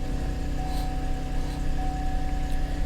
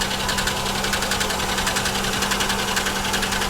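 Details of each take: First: Salvage auction car listed as a no-start, oil pressure reading 70: starts right up and idles with a smooth, even low hum and steady beat, no knocks or misses. Normal idle. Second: Ticking idle on a 3400/3100 V6 that misfires; sharp steady top-end tick sounding like lifters; owner suspects a blown lower plenum (intake) gasket, and water in the oil may be present.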